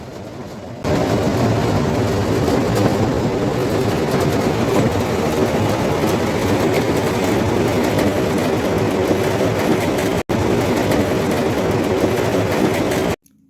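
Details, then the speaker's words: Cooling water pump in front of a cooling tower basin; loud, rough crackling rattle over the pump's roar as it pumps an air-water mixture, cavitation from a suction puddle. "but you can hear some abnormal sound from this pump due to cavitation at palum suction and the pump is pumping mixture of air and water"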